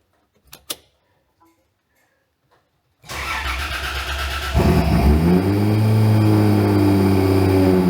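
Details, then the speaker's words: Car on a newly wired ECU Master Classic ECU, after freeing a stuck idle control valve and refitting it: quiet, then crank and catch, revs flare and settle into a steady, even idle; idle control now working, normal start and idle. "Beautiful. Good. All right, guys. Um, after getting the car running, idling, and had everything sort of going all right, I thought I'll check um the fuel pump."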